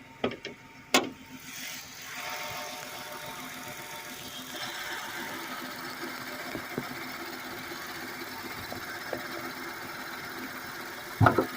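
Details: 2008 Chrysler 300 with the 2.7L V6, the owner's everyday car, idles with the hood open: a steady, even, smooth hum with no knocks or ticks, a healthy normal idle.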